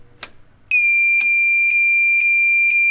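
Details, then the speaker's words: Fire-Lite MS-10UD 10-zone fire alarm panel switched to battery backup, batteries about 27 V combined: steady shrill tone with pulses about twice a second; cause unknown, owner wonders if the batteries overpower the panel. "i'm not sure if it's overpowering the panel but yeah it's a weird fault um i'll show you again"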